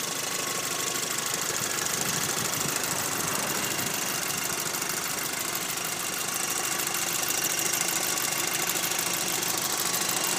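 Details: 2006 VW Golf GTI Mk5 at idle: a light, high-pitched, irregular metallic rattle rides over a steady idle; the source was not identified.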